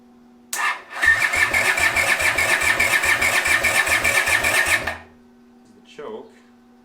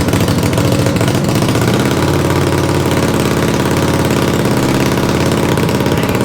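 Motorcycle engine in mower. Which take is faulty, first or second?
first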